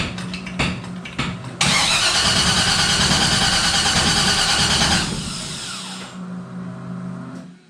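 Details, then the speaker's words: Henry J gasser, not run since a car show, rewired ignition/kill switch, fuel pump off: steady cranking about three beats a second, never catches; crank no start, lack of spark suspected, unconfirmed. "Should have fired. I wonder if we're getting spark."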